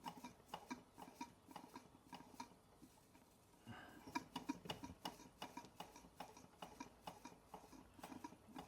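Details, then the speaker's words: Bing 10/110 poppet valve steam engine on its original spirit burner, first run in months: uneven soft puffs and light ticks about three a second, some wet spitting, as the chimney clears condensation at low pressure. "You can hear that condensation. Listen to the chimney. It's not quite out yet."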